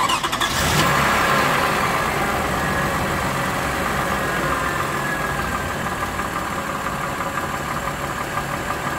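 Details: Warm Lexus RX330 3MZ-FE V6, revs played at 1,000, 2,000 and 3,000 rpm: steady light knock riding over the running note, about three a second; origin unclear, owner wonders about piston knock.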